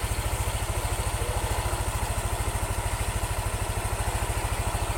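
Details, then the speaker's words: Yamaha N-Max after repair of radiator coolant spraying, hard starting and rough engine, idles with an even, steady thump and no hiss or misses; smooth and healthy, road-tested about 6 km. "mesin sudah halus suaranya air radiator sudah tidak nyembur di starter nya gampang dimatikan nyala gampang juga"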